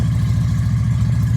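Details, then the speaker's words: Yamaha V Star 650 that sat a long time, with Sea Foam, just started: low, lumpy, uneven V-twin thump on choke; suspected gummed carburetors that may not accept throttle, and the exhaust smells of old fuel. "all right now a lot of times when you have gummed up carburetors it will run on a choke but it probably will not accept any throttle"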